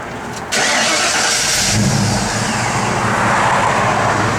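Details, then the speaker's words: 1953 Ford F100, frame-off restored with 1300 miles since (odometer 1302), 351 ci Windsor V8, Edelbrock 4bbl, Flowmaster dual exhaust, automatic overdrive: quick short crank, catches and settles into steady even idle, no knocks or misses; normal healthy start and idle. "Man, just a little sweetheart the way this thing runs too, man."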